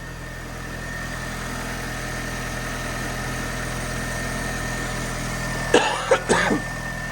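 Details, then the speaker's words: Engine with 64,000 miles at idle: smooth, even ticking over with a steady low drone, no knocks or misses, brief bumps near the end; separate scratching noise suspected from starter motor or alternator; normal idle. "it can't be just that noise because that that is ticking over lovely like that engine"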